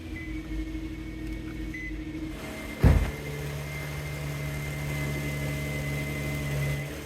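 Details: 2008 Infiniti FX35 V6 at first start-up after replacing valve cover gaskets, intake manifold gaskets and camshaft position sensors: single start-up bump then steady even hum; smooth, healthy idle, no oil leaks seen.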